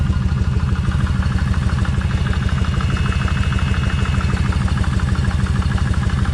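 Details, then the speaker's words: Kawasaki Vulcan 1600 V-twin at idle after cam chain adjuster reset on rear cylinder: steady lumpy idle with light ticking clatter; cam chain still a bit noisy but far better than before, front cylinder now much noisier. "still noisy but it's nothing like it was now the front and front is a lot noisier"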